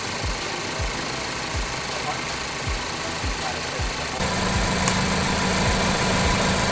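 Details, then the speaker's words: Ford Focus idling about 40–50 minutes after its engine oil was replaced with Prime drink, smoky with a fruity smell: loping uneven thumps, about four a second, then a creeping hum; a misfire is suspected. Rough idle. "we're about 40 or 50 minutes from uh putting Prime in this car and it's still running and we're finally think we're seeing a misfire"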